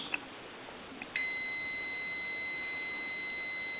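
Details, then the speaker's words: AE Monophone rotary desk telephone, left receiver capsule checked with a meter reading 3.2 ohms, close to a dead short; after the probes touch a steady high continuity tone holds unbroken, so the capsule is bad. "and it says 3.2 so it's very close to a dead short it'd be 3.2 ohms"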